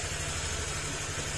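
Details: Honda Click 150 scooter after overhaul, run to check a tok-tok knock: even, steady idle with regular soft pulses and no knocking; knock gone, earlier possibly from a loose piston pin.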